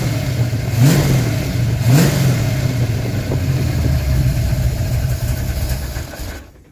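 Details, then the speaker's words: Cold engine won't hold idle: blipped up and down a few times but drops off and dies each time the throttle closes; after a little choke it idles fine. Manual-transmission project car, cheap flimsy throttle cable and bracket, tachometer just wired in. "Why aren't you idling? Gave it a little bit of choke and it's idling just fine now."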